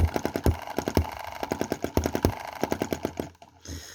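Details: Cheap Chinese EM2/M19 hit-and-miss gasoline engine, two months old, misfiring with uneven chugging, louder pops and gaps; spark plug fouls, carb running rich; cause exhaust valve opening late, fixed by adjusting valve timing through cam cog tooth slipping.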